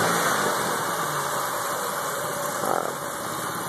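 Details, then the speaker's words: Ford Taurus Duratec V6 after a new EGR valve, all six plugs, intake plenum gaskets and vacuum leak fixes: quiet, steady idle with an even hum, but the owner reports it is rough and reluctant to rev through the RPM range; normal idle. "idling well but I can't quite figure out the issue it's having here with the I guess RPMs"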